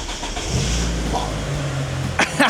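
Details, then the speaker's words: Mitsubishi Evo sitting 17 years, first start after restoring spark, low fuel and no coolant in it: fires up straight away and settles to a steady, even low rumble with no misses or knocks; normal start and idle. "Straight away. just starts just like that now. That I'm happy with. It It sounds It sounds great."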